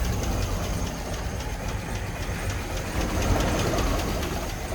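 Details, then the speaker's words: 2006 GMC Sierra 2500HD with a crank sensor code, barely running near stall: rough, uneven idle with a heavy low knock three to four times a second underneath. Cause unknown; owner plans to replace the crank sensor. "got a code for a crank sensor so she barely runs now you can hear the knock"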